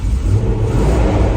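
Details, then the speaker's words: Land Rover V8 converted from EFI to twin Solex carburetors, small exhaust: deep, even smooth rumble overlaid by loud steady whooshing roar from the large engine-driven viscous fan; normal running. "So it has got a massive viscous fan on the front of the engine instead of electric cooling fans, which is why all you can hear is fan. And it's got a tiny pea shooter of an exhaust on, but we'll do something about that in due course. But otherwise, sounds all right, doesn't it?"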